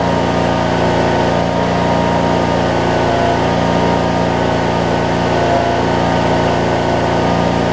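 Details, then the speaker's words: 2007 Craftsman LT2000 riding mower with Briggs and Stratton engine, sat a while and backfired when starting, now running; steady, even idle with a smooth low drone, no misses, pops or knocks; normal idle. "Sounds pretty darn good, don't it?"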